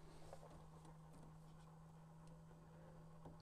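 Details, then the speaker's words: Tesla Model S P85D door handle assembly, trim removed: steady low hum with no change in pitch running nonstop; door handle motor not shutting off due to a broken gear, stops only when connector is unplugged. "okay now that i took that off i can really hear that thing humming"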